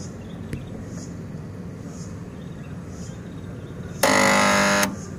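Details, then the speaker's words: AC compressor after swapping 35 µF capacitor for 50 µF: loud steady buzzing hum under a second then cuts out with no run-up; compressor badly seized (locked), won't start. "belum bisa teman-teman, ini ngejamnya parah."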